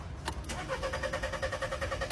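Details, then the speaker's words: Car parked over half a month, spark plugs, pump, throttle and fuel line already serviced: starter spins the engine at about ten even pulses a second but it never catches; crank no-start. "The car still won't start."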